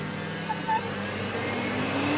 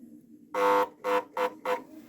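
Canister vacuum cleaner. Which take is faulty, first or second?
second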